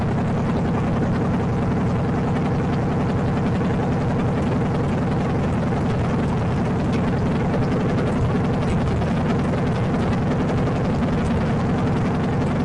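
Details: Freshly installed salvage-yard AMC 360 (5.9L) V8 from a Jeep J10 in a 1976 AMC Gremlin: steady, even deep rumble at fast idle, no knocks, ticks or misses; sounds healthy.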